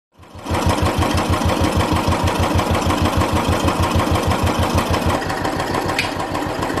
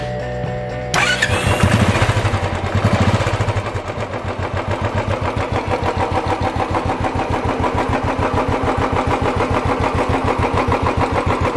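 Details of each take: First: Royal Enfield Classic 350 UCE single-cylinder engine at idle: steady thump with a metallic tappet rattle over it. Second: Royal Enfield Classic 350 that had a rattling tappet noise, started after the top-end rebuild and reassembly of the head gasket and rocker arms; it settles into a steady even thump with no top-end rattle.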